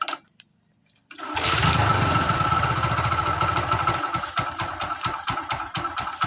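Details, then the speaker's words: Hero Splendor Plus motorcycle after magnet (flywheel) noise fix and carburettor refit: quiet, then starts and settles into an even, steady idle with clean regular beats, no knocking or rattle; noise gone, normal idle. "यह खत्म हो गया है। कोई आवाज नहीं। नहीं भाई।"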